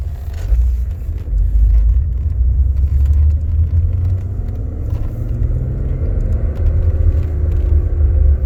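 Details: BMW E46 330Ci M54 with single mass flywheel: whirling metallic sound at the point of clutch disengagement with slight clutch pedal vibration, over steady engine rumble; suspected clutch-related cause, unconfirmed.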